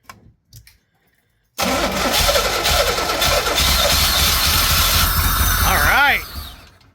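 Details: Pontiac Fiero that sat five or six years, with spark confirmed from cap to wire. The starter spins the engine steadily for several seconds with uneven chugs, but it never catches and runs on its own; stuck injectors are suspected.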